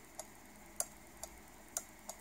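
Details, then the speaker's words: AN/PRC-10 tube VHF manpack radio relay, energized after adjustment during the repair: five crisp clicks in about two seconds as the arm pulls in and drops out; the relay now switches normally. "as you can see it's working perfect and I'm 100% sure that after mounting kids right now it will be a fully working"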